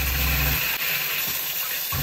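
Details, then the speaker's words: Shurflo 2095 12V water pump (10 L/min) in a converted van's water system, with an expansion tank added on the cold-water circuit and the valve opened slightly. Low, steady hum that cuts out and returns, no pulsing. Normal operation with no change in flow. "Tu vois, là elle se met pas encore en route. Là elle se met en route. Et tu vois, quand elle se met en route, il n'y a aucune différence de débit."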